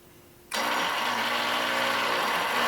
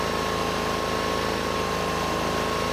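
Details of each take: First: Rusty Honda 6500 W electric-start generator, liquid-cooled, little fresh gasoline added: steady fast whirring crank with no firing; cranks but won't start, carburetor drain shows no fuel, carburetor appears plugged. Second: Rusty Honda 6500 W electric-start generator warmed up: steady even hum at settled low speed with faint constant tone above; rpm came down, normal warm idle, though no electrical output yet.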